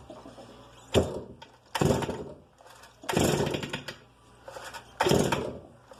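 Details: Stihl 290 chainsaw with a broken starter cord, worn clutch drum and a replaced throttle cable: four sharp rev bursts, each with a harsh metallic rattle from inside the engine, a worn small-end needle bearing on the piston.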